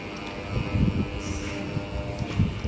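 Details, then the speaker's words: LG AC outdoor unit fan motor jammed, won't turn even by hand. It hums loudly without spinning, with knocks from handling; the fan is removed to be freed with machine oil. Running on generator power. "गुंगुआ भी रहा है तेज़ी से और चल नहीं रहा है।"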